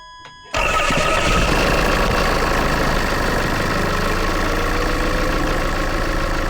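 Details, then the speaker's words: Land Rover Freelander diesel after a fuel filter change: a short crank and it fires at once, settling into a steady, even idle; healthy start. Owner warns it may stall or run rough while air bleeds out. "It should fire up pretty much straight away. it then might cut out and you might need to crank it over a few times and it might run a bit rough until it's bled all the air out the system."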